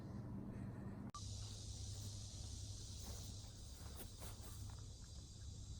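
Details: Husky generator that sat 5 years with bad fuel, after carburetor cleaning, leaking-tank fix and new governor spring, run outdoors: a steady, even drone with no hunting or surging, holding a stable governed speed near 61 Hz; normal run.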